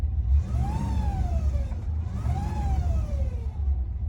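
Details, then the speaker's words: 1972 Rover P6 3500 V8, barn find off the road for 12 years: an automatic transmission whine rising and falling with revs, present in neutral and gears but not park, so pump-related; owner suspects a blocked filter. "as you can hear, that doesn't sound that great. It only happens in neutral or in any of the gears, so it's only when the pump is going, because on these transmissions the pump doesn't spin in park."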